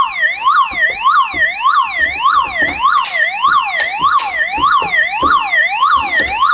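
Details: Disconnected old car alarm siren still running on its small internal 6 V backup battery; loud two-tone wail sweeping about twice a second without pause.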